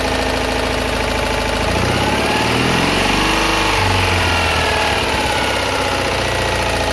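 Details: Citroën Ami 8 small twin, already hot and run briefly without its cooling fan, revs unevenly with a stumbling beat. Points spark heavily, the plug spark is weak, and it coughs through the carburettor. Owner blames the condenser for big ignition misfires.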